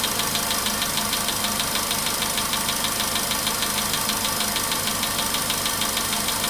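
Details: VW Polo Sedan, 99,329 km, idle after cold start, warming: crisp ticking about three per second, softer than cold but persistent; engine feels heavier; owner thought oil had spread; knock cause unknown.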